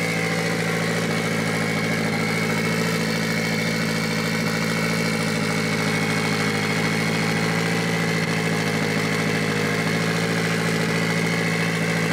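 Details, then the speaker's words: Mitsubishi Evo 8 4G63T, first start after an engine rebuild, after fixing high idle by reconnecting a hose and adjusting the throttle body: smooth, even idle with a steady hum and no stumbles, hiss or misses. "And we thought we had an air leak somewhere, but ended up just needing to adjust the throttle body. So we are good. It sounds pretty good."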